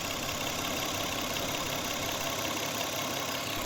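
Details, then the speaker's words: Toyota Camry idling with misfire: uneven, stumbling idle with skipping beat under hiss; one ignition coil found bad, rear coils good. "তো আপনারা ইঞ্জিনের sound শুনলেই বুঝতে পারবেন গাড়িতে missing করতেছে কিভাবে চলতেছে ইঞ্জিনটা"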